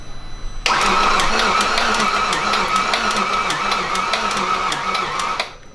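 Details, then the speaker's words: Audi B7 RS4 4.2L V8 with a replacement engine after the original threw two connecting rods: third start attempt cranks unevenly, backfires once and never catches. Cranks but no start. "This is attempt number 3. Oh. It's like it wants to, but it doesn't. I heard fire. It backfired. So close there."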